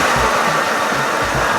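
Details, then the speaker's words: Old wagon stored for 30 years, idling after spark plug wires were routed from the distributor; a steady, even hum with no knocks or ticks, running smoother than before, and the earlier noise is blamed on the water pump. ">> It's running great, bro. It's running smoother than before."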